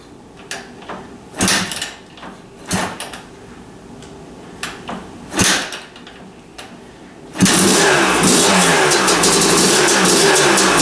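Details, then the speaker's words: Kawasaki KDX250 two-stroke during restoration, kill switch wired differently and held in, frame ground uncertain: several kicks with sputtering coughs, then it catches with a crisp, steady buzz; starts and runs fine. "it started. The kill switch is different on this. I had to hold the kill switch in because it's wired different. But it did start."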